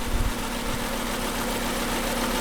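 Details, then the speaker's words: VW Jetta at idle, check engine light on but not flashing: uneven lumpy low thump of a cylinder 2 misfire persisting after many repairs; owner suspects spark plug to ignition coil wires, cause unconfirmed. "so you definitely hear that cylinder two misfire just like before so something is causing cylinder two to misfire i don't know what it is"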